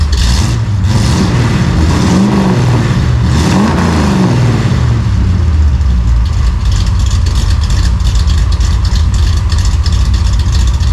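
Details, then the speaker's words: 1955 Chevy V8 with newly installed home-built dual exhaust rises and falls with a couple of revs, then settles into an even, muffled idle. It sounds tight and healthy, maybe quieter than hoped. "all right well I guess uh that's what she sounds like maybe a little quieter than I would hoped but we'll have to wait till we're driving it and uh see how it sounds out on the open road"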